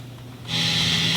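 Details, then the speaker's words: 1980s Roland SDE-3000A echo unit from Japan, rear level switch changed: quiet at first, then a steady high hiss jumps up and stays flat; oddly, more hiss comes in the lower gain setting. Output hiss. "okay now you hear that level of hiss it got quieter but it got quieter there's a hiss"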